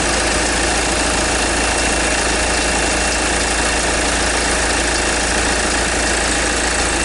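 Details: 2010 Kia Sorento 2.2 diesel at idle after injector replacement for hard start and crank-no-start: loud, harsh clatter throughout, as if something breaking up; knock source unclear, cause suspected, not confirmed.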